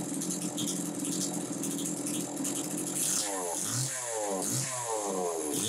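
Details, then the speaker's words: Homelite Super 2 chainsaw (thought to be about 1990) runs steadily, then takes several clean throttle blips that rise and fall crisply. It sounds healthy and is running good. "so at least the first one I've come across so anyway you hear it it's running good"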